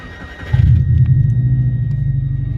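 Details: Subaru Impreza petrol, after cleaning the air recirculation valve sensor (fault code 24) that caused idle revving up and down: catches quickly and settles into a smooth, even idle with no hunting; engine light off.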